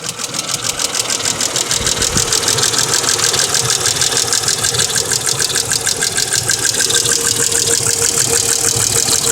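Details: 1999 Mercedes ML320 (W163) gasoline, almost 200k miles: quick even ticking about three per second at steady idle, started after an oil change (Mobil Super 3000 X1 5W40, new filter); audio boosted; suspected noisy lifter, unconfirmed.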